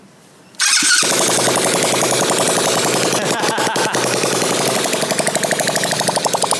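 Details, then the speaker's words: New 125cc four-stroke motor in converted kids quad drift kart, first start with no exhaust fitted: revs hard with raw crackly open-port bark and overrun pops, throwing flames; strong, healthy, more torque than the old tinny 50cc 2-stroke. "That is absolutely mental. You can kind of hear the torque in the motor compared to the 2-stroke. The 2-stroke was tinny as hell. This guy's keen to go."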